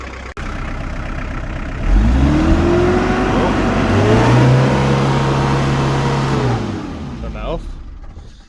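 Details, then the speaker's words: Daihatsu Rocky Fourtrak diesel, barn-stored about five years, preheated before starting: starts easily, then suddenly surges to high revs and holds them untouched for several seconds before dropping back; throttle cable suspected sticking open. "looks like the throttle cable might have stuck."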